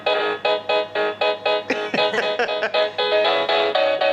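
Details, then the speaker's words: Plug-in driveway motion alarm receiver for vehicle theft protection plays a repeating two-tone chime, one of about 20 selectable tones with adjustable volume, signalling detected motion. "you can adjust the volume you can set different tones to it's probably got about 20 but we picked our favorite"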